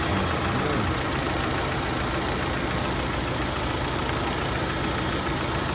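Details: Factory-CNG Mitsubishi Lancer after gas injector cleaning, with one injector found bad, fixing shaking and stalling at idle when braking: steady, even idle with a smooth rapid beat and no miss, stumble or shake; engine runs cleanly.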